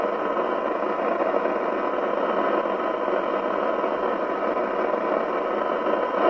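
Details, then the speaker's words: Spinneytonic CB199 UK CB27/81 mobile CB radio (fake Amstrad chassis) on the bench with signal generator: thin, hissy, muffled rush with no low end; distorted receive audio, suspected IF out of alignment. "oh it doesn't sound very good does it let's go back to the detector just see whether i can bring that up a fraction"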